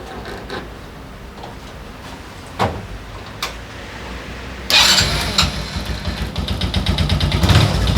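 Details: Daelim Citi Ace 100 (CA100), reassembled after replacing worn clutch lifter rollers to cure a gear-shift noise: a few cranking clacks, then catches and settles into a steady, even idle without clatter; clean, healthy start.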